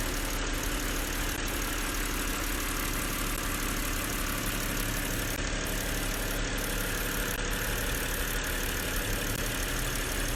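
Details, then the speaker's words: 2007 BMW 325i E90 after replacing the alternator and diagnosing misfiring cylinders 3 and 4: steady, even idle, no stumbles or missed beats; all cylinders firing cleanly. "So after a couple hours of diagnosing both of these, it's finally good and it's running smooth."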